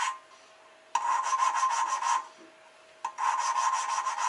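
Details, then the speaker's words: Hand-lapping a valve into the head of a forged RB25DET engine (R32 GTS-t Skyline track car) with compound, lifting periodically: two even rasping strokes about a second each with a pause; smooth, even dull seat shine, seat bedded in. "So you also want to lift it every now and then, let the compound fall back into its location. Sounds pretty smooth."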